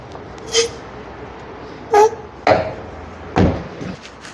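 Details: Zastava 10 (Fiat Punto) door before lubrication: two short, high squeaks as the door swings, then latch clunks. The dry hinges and door check need PTFE spray.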